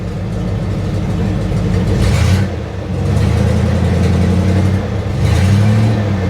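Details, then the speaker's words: 1976 Chevy or 1964 Chrysler after capping taped-over vacuum ports (suspected vacuum leak): low, even idle with a couple of light throttle blips settling straight back; smooth and running clean. "So, I actually put some plugs on it, and I think we had a vacuum leak. So, it's it's running better. Yeah. That's better."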